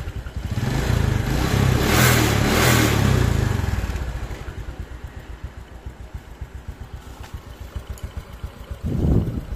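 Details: Honda Supra X 125 KPH after piston ring and valve stem seal replacement, exhaust refitted: small revs then even, steady putter around four beats a second, smooth with no rattle and no smoke.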